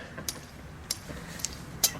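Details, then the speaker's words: 1968 VW Type 3 Fastback speedometer, seized and cable snapped, disassembled and spun by hand unlubricated: few sharp uneven light ticks; dry mechanism rattle matching the noise it made, lube expected to fix, possibly worn hole. "that that was what the spomer was doing it was making exactly that sound all right with some lube I think it'll probably be okay"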